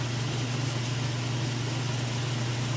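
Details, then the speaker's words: Kenmore top-load washer, final spin with very heavy jeans and towel load: smooth constant low hum, no knocking or thumping, then it stops; clothes came out without extra water, spin normal. "Alright, here we go into that final spin cycle. Sounds good. As I said, it's a very heavy jeans and towel load."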